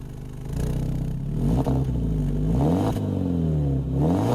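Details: BMW E90 318i after sitting stationary, battery compartment de-iced: smooth, even idle with a couple of clean blips, revs rise and fall evenly with no knocks or misses; exhaust smoke and water is condensation.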